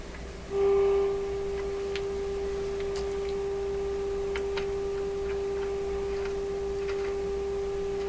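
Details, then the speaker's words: Canadian Pye Model 762 radio receiver during oscillator/RF alignment: steady pure whistle of a few hundred hertz with faint crackles, an unwanted heterodyne. "we'll get the radio going and see if we can find the same heterodyne effect and then we're going to monkey around see we can get rid of it"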